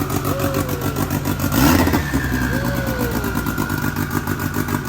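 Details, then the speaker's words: Friend's car with fully built motor, aggressive cams and 6266 turbo, said to make 600-plus horsepower: choppy, lumpy idle climbing into quick rev blips and settling back; big cam loping on a healthy engine; normal idle and revving. "This thing sounds filthy. Yo, the cam sounds so sexy, bro."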